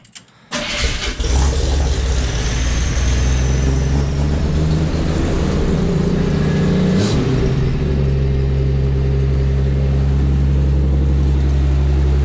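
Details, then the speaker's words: 1981 Chevy C10 squarebody, cold start, owner knows power steering fluid is low: loud, fast cold idle with a steady high screaming tone over it; power steering pump whine. "That power steering is screaming, but I'm gonna let this thing warm up and then see if it's gonna idle down."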